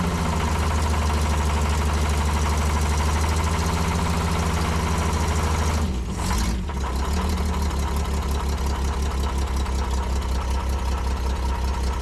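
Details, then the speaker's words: Prewar Austin/Crosley single-seater race car with a newly fitted fuel filter adapter: steady low idle with a faint uneven knock; owner suspects loose torque converter bolts, and rules out bottom end and pistons because the knock goes away with revs. "I've got to check the torque converter bolts. Our railway is not bottom end and it's not pistons because it goes away when you rub it."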